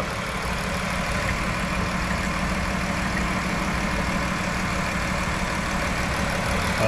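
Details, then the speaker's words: 2011 Chrysler Town & Country, 3.6 L Pentastar, overheated after a heater core hose blew: rough uneven idle with a stumble and steam; misfire from coolant in a cylinder past a warped head and blown head gasket. "yeah it's misfiring look at that we got some steam coming out of somewhere"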